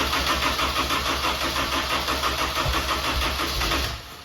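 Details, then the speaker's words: F24 newly built motor, first start: catches quickly after one or two tries and settles into an even steady idle, then shuts off cleanly; no leaks, no knocks or ticks, healthy. "very good guys no leaks I only took one or two little tries and she's good we got no leaks nothing looks and luck everything looks good motor sounds good and healthy"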